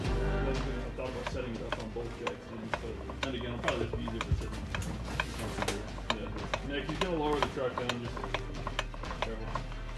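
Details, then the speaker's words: 800hp P-pump 24v engine build, new torque converter being fitted during transmission install: sharp, uneven light clicks as the converter is rocked back and forth by hand, meaning it is fully engaged on the transmission pump. "When you hear that clicking noise, you know that your torque converter is engaged to your transmission pump."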